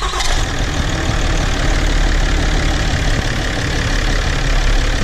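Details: 2015 Ram 2500 Cummins diesel after installing the recall replacement water pump, heater on to open the thermostat: steady, deep rumble holding an even idle with no knock, squeal or change in pace; normal idle.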